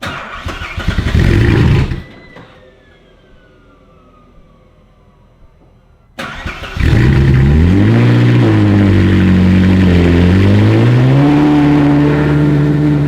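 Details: Ferrari 458 after exhaust leak repair, MAF sensors still suspected faulty: starter whirs, engine catches with sharp flare, holds even fast idle and smooth rev swells, no puffing or ticking exhaust leak.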